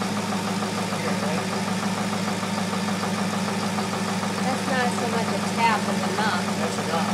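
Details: 2002 Chevrolet Corvette Z06 at steady idle: quick rhythmic light tapping over the exhaust note, tracking engine speed; engine knock of unknown origin.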